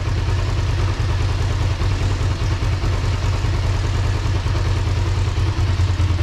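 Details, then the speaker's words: 2005 Kawasaki Ninja 500R twin, sat 10 years, after new carbs, tune, synchronization and oil change: steady even low burble at idle, no misses, knocks or rattles; running smooth and healthy. "Sounds really good, man, with those new carbs and that tune and synchronization. It sounds really healthy."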